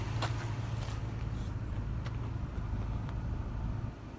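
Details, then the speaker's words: 2004 Toyota Tundra idling after new Aisin water pump and timing belt: low, steady, even hum with no rumbles, knocks, misses or vibration; smooth, quiet normal idle. "now this thing is running smooth and quiet listen to this no rumbles no vibrations you could barely hear this thing is on when you're inside the cab"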